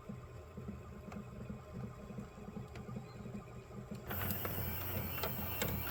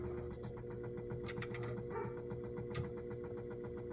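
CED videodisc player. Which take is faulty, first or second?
second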